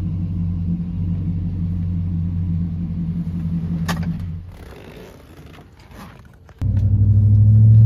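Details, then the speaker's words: 2008 Chevrolet Silverado V8, almost 120,000 miles, after throttle position sensor replacement and the idle relearn restart: a deep, steady rumble with a brief lull, then a smooth, even idle, with no check-engine light. Normal idle. "that sounds normal to me have no check engine lights on no lights on that don't along everything sounds normal we hit the gas it sounds normal"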